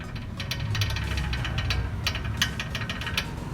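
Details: Perodua Myvi front wheel noise: irregular light metallic clicks and rattles from a dry, ungreased brake caliper slide pin knocking in its bore.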